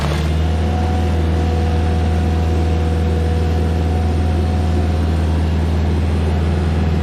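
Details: Stump grinder on its first job after a motor rebuild (clean piston), grinding a backyard willow stump; steady, even low drone with no knocks or misses, running great.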